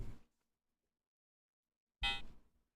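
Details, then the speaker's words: Power supply of a rebuilt vintage first PC at switch-off: two short chirps about two seconds apart, the second a bright squeaky burst fading quickly; not expected, cause unknown. "all right if you want to listen closely it makes the sound when you turn it off something tells me it's not supposed to make that chirping noise"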